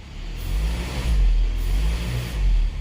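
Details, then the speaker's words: 2019 Kia Sorento after broken MAP sensor wiring repaired and connector taped up; brake-torqued in gear and reverse, deep low rumble swelling in even surges with no stumble or stall; running healthy, MAP reading fine, no codes. "You can see we're idling right now, fine. You come in the car. We can rev it up. It goes into gear, fine. You can brake torque it. Go in reverse."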